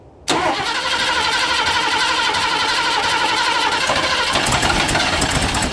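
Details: Ford Fairmont GXL XC being restored, first start attempt: starter engages abruptly into a harsh, rough mid-pitched whirring that changes tone partway; an unexplained noise during starting, cause unclear.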